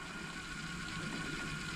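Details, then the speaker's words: 1991 Kenwood KX-W6020 double cassette deck, in reverse play: steady gritty grinding with fine ratcheting chatter; belts look fine, FF and REW work, motors spin, fault suspected deeper in the transport mechanism. Grinding transport noise. "Here we have that noise. And it does not sound that good at all."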